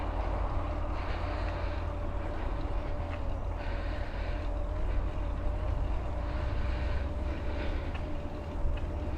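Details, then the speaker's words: Mahle X35 hub motor on a Ribble CGR AL e e-bike climbing in a low gear with slow pedalling, the motor doing most of the work: a soft, steady mid-pitched whir over road and wind rumble; normal hub motor running under load. "so i'm in a low gear so i'm pedaling slowly so the bike is actually doing most of the work at the moment it's just a very gentle whir"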